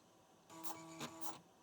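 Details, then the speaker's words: Fujitsu M2551A 360k floppy drive at computer boot: short buzzing seek under a second with a few quick stepping bursts, then quiet; heads return to track zero normally. "Yeah. Okay. So, just like the other drive, it ended up back at track zero, which is correct."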